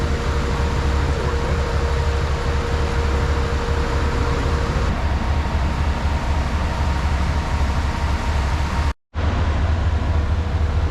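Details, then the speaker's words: 1972 Jeep CJ5 warmed up at idle after water pump replacement and radiator cleaning: steady, even low rumble with no knocks or ticks, sounds healthy; normal warm idle, though it still overheats on drives (owner suspects radiator or rusted block passages). "good running warmed up"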